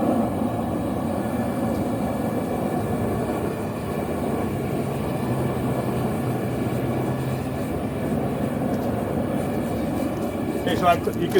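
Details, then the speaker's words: Vevor two-burner propane forge during forge welding, chokes closed for less oxygen: soft, even low roar, no popping or sputtering, fire sound changed; burners running smoothly with a reducing flame. "you can hear the sound of the fire change now, because now there's less oxygen in there."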